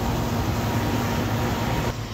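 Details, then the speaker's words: Home air conditioner whose compressor would not start, running after the capacitor was replaced: steady low hum with an even fan whoosh, no knocking or stalling, and it is cooling well. Normal running. "bueno como ya saben amigos ya quedó ya ya les ya quedo aquí ya está trabajando el aire"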